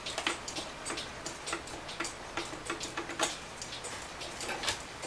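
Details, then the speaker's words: Railroad Quail cuckoo clock that stopped cuckooing; trigger not dropping far enough, quick slightly uneven tick as something in the movement isn't moving freely; owner suspects internal fault, movement to be removed: abnormal clock tick. "so now it's not shutting off, and you hear that tick. There's something move or not moving that's supposed to move in there."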